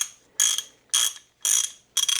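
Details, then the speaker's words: 56-year-old vintage Craftsman USA RHFT ratchet, flea-market find, just reassembled after cleaning and service: crisp, even bursts of fine clicks, about two a second, with clean uniform pawl action, sounds like new; normal ratchet clicking. "Listen to that. It's like a brand new thing. So it sounds amazing for a 56-year-old ratchet that I scored at a flea market for 10 bucks."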